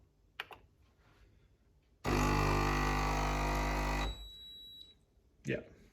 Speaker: it beeps like that that's normal cool